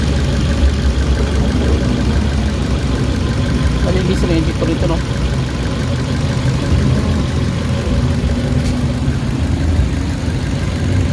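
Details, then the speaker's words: Suzuki Carry that vibrated at idle and lacked power, after an XADO engine treatment: steady, even petrol idle with a low regular hum, vibration gone, no knock or stumble. "Wala na yung yung inig niya nawawala na medyo gumanda na yung under guys oh"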